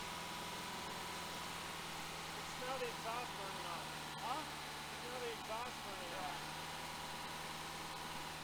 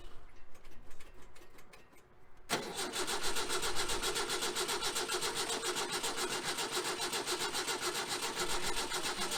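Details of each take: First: 1966 Volkswagen Type 3 Fastback, freshly rebuilt larger air-cooled engine just installed, during cam break-in at raised idle: even steady hum with no knocks, ticks or misfires; runs smoothly, carbs still need some tuning. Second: 1966 VW Type 3 Fastback with freshly rebuilt engine, jump-started due to dead 6V battery: starter cranks steadily about four beats a second with no firing; no start, traced to wiring needing rework.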